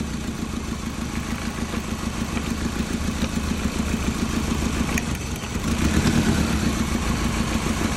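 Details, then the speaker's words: Toyota Prius, 267,000 miles: an uneven, loping idle with a stumble in the beat over a low drone. No spark from a suspected bad ignition coil, so it runs on three cylinders. "this one I suspect that's bad so basically what I'm just this this is just a quick way of diagnose it so no spark look at that so she's running off of three cylinders"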